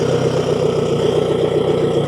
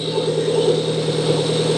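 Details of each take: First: Outboard motor after a replacement tensioner with welded stock bracket: steady, even drone with an unbroken beat, no knocks or rattles; running healthy, ready to sell. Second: Outboard motor idling after a new balancer was installed: steady idle with a thin, constant high whine from the worn timing belt tensioner bearing.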